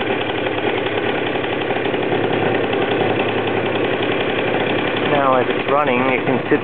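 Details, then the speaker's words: Super Vino small single-cylinder engine right after startup, settling into an even, steady putter with no misses or knocks; the owner says it can idle all day. A healthy idle. "Okay, now we're going to perform the startup, and we can all hear it run."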